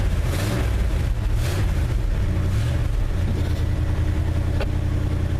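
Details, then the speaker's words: 1974 Ford F250 with a 390 cubic inch V8, cold start after 20 years not running, fuel line back-filled, no oil pressure reading yet: deep, even rumble with a slight swell in revs and no knocks or misses; normal running. "like it's running good let's try a little if we got clutch action"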